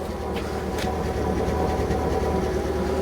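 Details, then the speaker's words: Proton Satria 1.5, long abandoned, at idle: lumpy, uneven exhaust chug stumbling about three times a second, heard with a hand held near the exhaust; misfire confirmed, later traced to low compression on cylinder 1. "So you can hear the misfire just by putting your hand over the exhaust. You can feel it, can't you? So we know it's misfiring."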